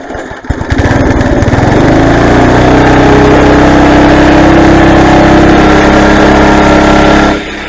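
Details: Craftsman garden tiller after replacing the old drive belt: starts after a brief stutter, quickly builds to a steady, even run and holds it for several seconds before shutting off.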